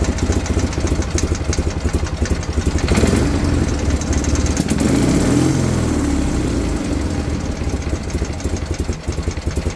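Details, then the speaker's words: BMW R51/3 classic motorcycle: even idle with a light quick tick about three or four a second over the firing beat; owner unsure of cause; top-end ticking at idle. "Anybody know what that is? This is the ticking I'm talking about."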